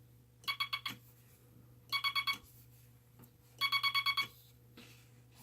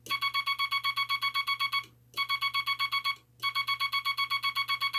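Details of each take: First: Bug with the dot stabilizer back on and the dot contact readjusted: bursts of crisp, evenly spaced tone dots at about three per second, clean with no chatter; the dot contact is stable. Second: Vibroplex bug with the dot stabilizer wire removed from the dot contact spring, dot contact readjusted: three strings of rapid dots, about seven a second, in a buzzy tone; mushy, scratchy sound from the dot contacts sliding and bouncing.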